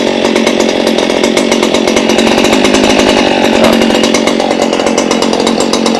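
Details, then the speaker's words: Stihl hedge trimmer small two-stroke after fixing bogging caused by poor fuel, plug and spark arrestor: buzzing at high steady speed with clean even firing, no bogging or stumble; runs healthy. "Oh, that sounds happy. So we have now fixed it. It is a good running machine now."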